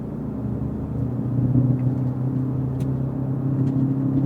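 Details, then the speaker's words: 2017 Toyota Prius driving at about 35 mph, heard inside: steady low droning roar from the rear, very prominent, from a worn rear wheel bearing. "There. It's really, really prominent there. About 35 mph."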